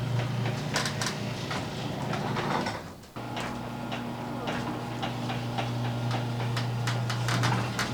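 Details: Garage door after white lithium grease, new hinges and nylon rollers: steady low opener hum with only a few light clicks and no squeal or rattle, door runs smooth and quiet.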